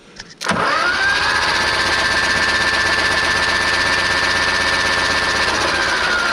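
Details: 1970 Mk1 Ford Escort, pumping oil while cranking: steady fast starter churning about four turns a second with no firing; no spark, needs points.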